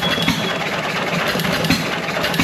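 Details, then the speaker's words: John Deere 1.5 hp gas hit-and-miss engine revived after sitting, barely warm after a couple minutes running: slow uneven pops with coasting between firings, no knocking or banging; some smoke. "on right now it's barely War only got a couple minutes long it sounds pretty good though not knocking and banging there smoke"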